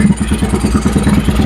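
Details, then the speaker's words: Honda Vario 110 carburetted scooter after engine rebuild, mic at loud exhaust: even single-cylinder idle, loud but no knock or rattle; smooth, only needs resetting of the aftermarket PE carburettor. "Lembut bukan? Kita tarik gas ya. Oke, teman-teman ya lembut ya suaranya ya."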